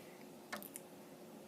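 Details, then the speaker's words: An Amiga 1000 with the Workbench disk removed: the empty floppy drive gives a couple of soft, sharp ticks close together as it steps, looking for a disk. Normal empty floppy drive clicking. "Anyway, once Workbench has done its thing, and you take it out, right now, we would see on the screen the desktop, and once the disk is taken out, you can then hear the drive is clicking, looking for a disk."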